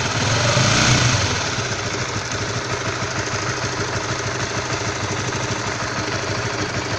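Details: Stock Honda All New CB150R at cold idle: rough, fairly regular tapping about three per second over the engine, knock-like when cold; cause unclear.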